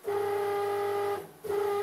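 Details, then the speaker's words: BF30 milling machine converted to CNC, X-axis stepper motor while jogging: harsh, steady buzzing grinding drone cutting out briefly then returning; swapping motors didn't help, cause unknown. "this awful grinding noise and that's coming from the stepper motor on the x-axis"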